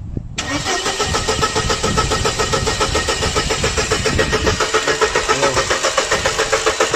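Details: 1999 Mercedes-Benz W202 C180, engine code 108, P0335 crankshaft position sensor code; steady starter churning at about three and a half beats per second for several seconds after codes were erased, never fires: cranks but won't start.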